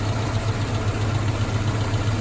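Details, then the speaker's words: Mazda B2000 truck idling after a temporary fix for a #2 connecting rod knock: new rod bearings on a crank needing turning, engine rebuild or swap planned. Steady, even low idle with regular firing pulses, no knock or tapping; healthy. "I wanted to uh actually needed to get this thing back on the road cuz again, this is my daily driver and uh so it's been doing fine."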